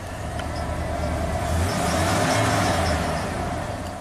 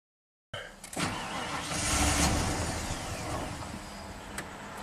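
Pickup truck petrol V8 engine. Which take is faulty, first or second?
second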